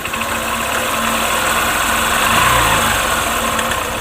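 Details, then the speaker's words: Honda Shine motorcycle at idle: fast, uneven clatter about four ticks a second, intermittent and sometimes very loud; owner says it is the timing chain noise despite a new chain fitted, suspects the tensioner not working. "यह जो आवाज दोस्तों यह timing चैन का आवाज है"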